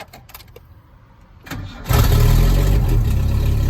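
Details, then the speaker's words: Chevy S10 drift truck after a tune-up with new plugs, wires and coil; brief cranking, then it catches at once into a deep, loud, even idle with no misfire. It sounds much better than before. "This thing ain't never barked like that. Oh. That sounds a lot fucking better."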